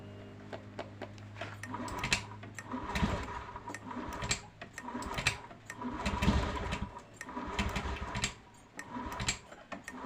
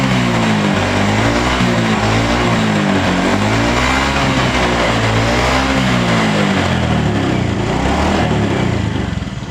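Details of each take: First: Honda Beat FI scooter after a battery replacement: it idles only, and on throttle it surges and sags about once a second without picking up; an intermittent misfire. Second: Honda Beat FI scooter with sudden-stalling problem, after new spark plug and replacing the dropped, no-longer-charging battery: single cylinder fires up and revs cleanly and evenly with no misfire or stumble; normal revving, fixed.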